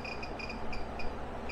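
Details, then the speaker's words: REDODO 2000W 12.8V pure sine inverter, ~87 A from battery at 12.96 V, about 1040–1132 W load with AC unit running: high double chirps repeating irregularly over fan and compressor hum; alarm under load, battery not low, cause unknown. "cry it's screaming over here what's going on because the fans are coming on wonder what's going on here guys"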